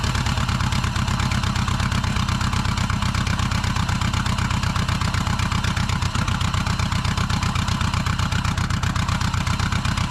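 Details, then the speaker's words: Bug-eye Subaru WRX with a JDM AVCS EJ20 swap, first start after dolly towing: steady knocking about four per second over the idle, like rocks; first thought rod knock, but it is the disconnected driveshaft flailing in the tunnel. "okay i thought uh i thought the motor had a rod knock for a minute sound like a bag of rocks back there but the drive shaft that i disconnected to tow it and uh just on a tow dolly is just wanging around down the tunnel"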